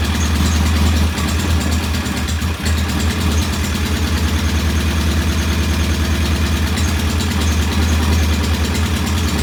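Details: Norton P11 vintage British motorcycle twin, first start after carburetor fully disassembled and old dead gasoline replaced with fresh; lumpy, slightly uneven idle that never smooths out; one carb's pilot jet not following adjustment, suspected partly blocked.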